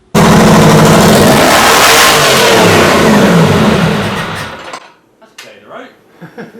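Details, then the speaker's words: Detroit Diesel 6-71 two-stroke at first start, with the rack controlled manually. It screams up to an excessive climbing rev, then is cut and dies. Part of the governor had broken away, so it only works partially and lets the engine overspeed. "subsequently when i've taken the top off and had a good look part of it's broken away so it's only working part of the way which can allow it to do"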